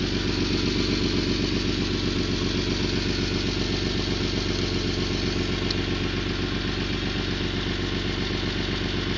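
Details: 1991 Toyota Land Cruiser FJ80, 3F-E 4.0L inline-six, 229,000 miles, idling with sharp regular ticking puff on each firing pulse; loud exhaust leak around the leftmost catalytic converter near the O2 sensor.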